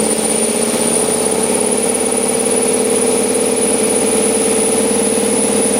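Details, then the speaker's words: LS7-swapped Chevrolet S10 cold start at about 50°F, idle around 500 rpm with IAC fully open; high steady whistle over idle; owner suspects throttle blades too tight until intake warms; cold start idle whistle. "you can hear the idle air control open up all the way I just think that until they've had some heat and the intake that the throttle blades are just too tight"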